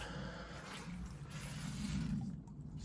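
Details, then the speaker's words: Workshop at midnight, heard over a security camera: a garden hose left connected to the tap has blown off at the union. A steady hiss of spraying water over a low rumble, with no rhythm. "what I've done is after rushing out after rushing out I left my I left my hose connected up to my tap and it's blown off it's the union has let go it's blown off"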